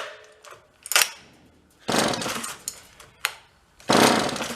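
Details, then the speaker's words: Vintage John Deere chainsaw from a roadside free pile, has spark: short bursts of firing between pulls, each dying within a second; fuel starvation from a faulty carburetor, pull start also needing repair. "Yeah, we're not getting anything. So we got a pull start to deal with, a carburetor to deal with, and then we'll figure out anything else besides that."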